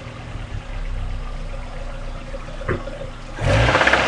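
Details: 1995 Mazda MX-5 Miata after an over-rev and head reinstall: rough tapping about four per second at idle, louder and busier with revs, smoke out the back; engine knock, owner suspects bad bearing.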